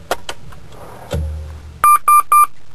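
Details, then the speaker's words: P38 Range Rover (1995–2002) with a stored air suspension (EAS) fault: a few clicks and a thump at ignition, then three quick mid-pitched warning beeps. "I'm going to go and turn on the car and you'll see that I actually have an EAS fault stored"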